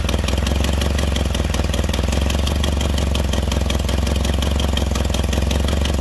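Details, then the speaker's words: Nissan Silvia with FJ20ET engine, first start in about a year and a half: rough idle with quick even rattling tick over low exhaust throb, fuel pressure slightly high; abnormal noise at idle, cause undetermined. "oh yeah you can hear it back there god that's horrible that's the main reason why i haven't driven this car"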